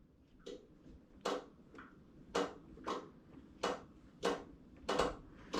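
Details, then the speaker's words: 1969 El Camino SS with 454, engine off after newly repaired wiring and a blown fuse: sharp dry uneven clicks about once a second; relay chattering, headlights flickering, owner suspects poor connection at a relay. "Sounds like a relay. Okay, well, we got headlights, sort of, kind of."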